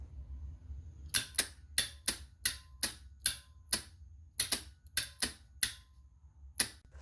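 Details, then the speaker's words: 2008 Honda Civic starter removed and bench-tested on the battery: sharp dry clicks about two a second, unevenly spaced, with no motor spin-up; pinion should move forward and rotate but gets stuck, starter faulty and replaced. "See that the pinion meshes that should come out forward and rotate gets stuck."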